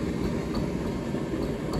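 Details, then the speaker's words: Hotpoint H2D81W tumble dryer, street find, base damaged: a steady low drum rumble with soft repeating thumps a few times a second. Suspected transit damage to the drum front lip hitting the support rollers, not confirmed. "sounds like there's damage there and it's hitting it because there's so at one point that's the first bump hitting the first bearing then there's both bumps hitting both bearings"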